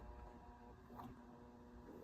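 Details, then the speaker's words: Early-to-mid 1990s SMC Super 16-inch oscillating desk fan, before restoration: powered motor gives steady low electrical hum, blades not spinning up; shaft takes considerable effort to turn by hand, seized motor bearings. "yeah it takes considerable effort and it's yeah that's beyond seized for this motor to spin up on its own power"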